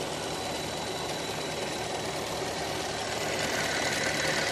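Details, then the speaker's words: Copart parts Traverse running with no coolant: steady running with quick, fairly even ticking about three per second over a hissy whir; owner thinks something pushed against the cooling fan makes it, besides a ticking purge valve and a suspected air leak. "those the fans making that"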